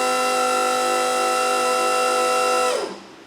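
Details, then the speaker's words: Electric-hydraulic pallet stacker lifting about 10 ft after rewiring with a larger wire: steady, even pump-motor whine at one pitch, then a smooth spin-down. Wiring no longer hot; battery needs charging and fluid topping up. Normal pump run. "i can definitely tell you that it sounds a lot better with a larger wire on it and maybe my crazy head but i think it moves up quicker as well"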